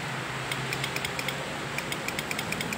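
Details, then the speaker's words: Yamaha Mio Soul that starts on the centre stand but often only clicks on the side stand: battery terminals checked tight and held firmly, yet sharp dry clicks in bursts with no cranking. Owner suspects a poor battery-to-engine ground cable. "Masih bercetik-cetik ya. Oke, saya pernah pengalaman. Ini biasanya masa aki ke mesin kurang teman-teman."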